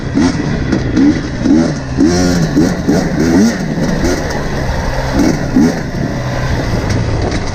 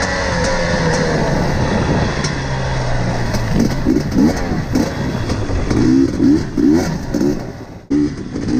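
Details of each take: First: Quick throttle blips rise and fall cleanly from a steady idle on a warm KTM TPI two-stroke after swapping the ambient and crankcase pressure sensors; the earlier low-rpm loading up and sputtering are gone, crisp and healthy. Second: KTM TPI two-stroke, warm, ten minutes into the ride: stumbles and burbles unevenly at low throttle, popping and sounding unwarmed and loaded up, progressively worsening; cause found to be a failed crankcase pressure sensor.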